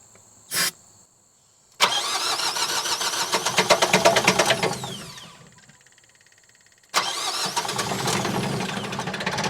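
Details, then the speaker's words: Generac diesel light-plant generator bought cheap at auction, cranked after tightening fuel fittings; fuel pressure seemed low, some smoke but two long bursts of even cranking never catch; owner suspects airlock in fuel system; cranks but won't start. "I feel like we should be getting more pressure than that, but I'm going to tighten those up and see what happens. Alright, come on now. Getting smoke, that's good. I wonder if it's kind of airlocked and we just need to get it running a little bit."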